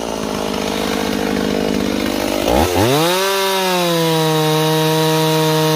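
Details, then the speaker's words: Warm Stihl 028 chainsaw after new crankshaft seals: rough drone abruptly drops into a wavering idle that keeps shifting pitch despite tuning; surging, unstable rpm, owner suspects an air leak between carburetor and intake boot, not confirmed. "It's acting like air leak to me. We'll find out. See how it's constantly changing no matter what we do with our tuning?"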